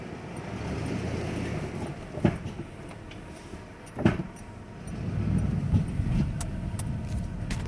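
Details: 1994 Ford F-150 4x4 with TTB front and lock-out hubs in free, rolling slowly, mostly in reverse downhill when the brake is released: low rumble with two sharp single clunks a couple of seconds apart; cause unknown.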